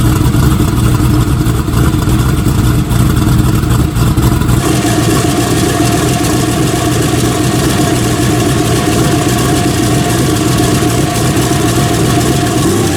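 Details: Turbo S10 race engine on a Dart block, restarted after turning the timing up: loud, steady, lumpy idle with an even low rumble and no knocks or misses; the engine runs healthy.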